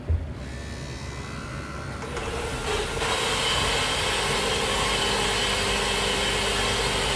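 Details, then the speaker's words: Ford C-MAX hybrid, HF35 transaxle, running: steady high squeal once hybrid drive engages, from a worn stator bearing; also thumps when driven, suspected stator hitting coils. "all right so there you go so we know this is the Stater bearing"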